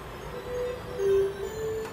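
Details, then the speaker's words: SNK Neo Geo MVS arcade board after repair: 1K pot replaced, then op amp swapped to restore sound; steady clear music tones with no hum or crackle; audio output working normally. "That was an absolute nightmare to sort the sound out. The pot was not working, 1K pot, swapped the pot out, still no sound, swapped out the op amp and we've got sound."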